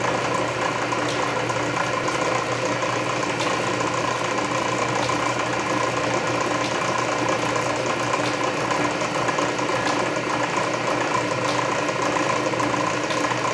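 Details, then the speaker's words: Canedy Otto drill press at low speed drilling a large hole under power feed; main drive belt slightly loose but gear reduction torque masks it; even grinding whir, ratchet click every 1.5 s — normal. "it works well enough especially at low speed there's so much torque from the gear reduction that you don't really notice the slippery drive belt"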